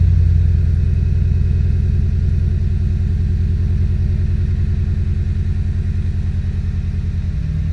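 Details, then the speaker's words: Audi A3 8P 1.8 TSI, timing chain done, stuck-open injector replaced, parked up about a year, lumpy idle stumbling about three beats a second with dropped firing pulses; idle misfire, owner suspects failed plugs, later found dark and fuel-covered. "But it's had a misfire, and I've not looked at it since that work's been done. But yeah, it's dirty. It's been packed up. So I'm thinking it's just the plugs have failed."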